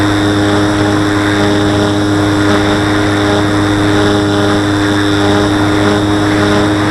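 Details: Model plane in flight: steady propeller drone with buzzy edge during climbs and hard banking, like elastic bands vibrating; owner suspects wing lifting from fuselage, wings not visibly flexing; source unconfirmed.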